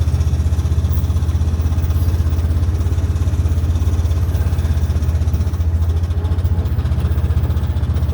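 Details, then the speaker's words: 2013 Honda Big Red 700 UTV blowing fluid, suspected transmission fluid, engine oil fine, no warning lights: engine chugs with an uneven pulsing beat about four a second from quarter throttle, stumbling; cause suspected, not confirmed. "Basically, as soon as you hit quarter throttle, it does this."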